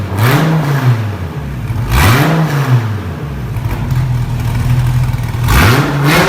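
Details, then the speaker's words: Wrecked 2014 Dodge Viper TA under rebuild, V10 with straight-pipe exhaust: loud deep quick blips bouncing off the rev limiter and dropping back each time; healthy revving to rev limiter. "oh my gosh dude I bounced it off the rev limiter man I just wanted to hear it I don't know how it's gonna sound on camera because it's freaking so loud"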